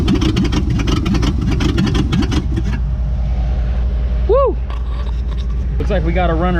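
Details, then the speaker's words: 1959 AMC Rambler Ambassador V8, parked since 1982, first start with sticky valves/rings suspected: loud, lumpy, uneven beat with open exhaust blat as the dual exhaust fell off; rough running from weak compression. "the dual exhaust fell off but look at all this rat stuff that fell out"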